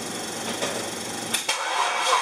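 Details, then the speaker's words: Test run of the LPG-fuelled rear-mounted Medusa engine with the distributor pickup terminals swapped from the original build wiring, feeding a GM 4-pin ignition module: loud, ragged running with uneven hits and a sudden cut near the end. It doesn't seem to like the swapped pickup wiring. "what this test is with the pickup terminals swapped round from the way I had them when I first built the distributor if it runs at all"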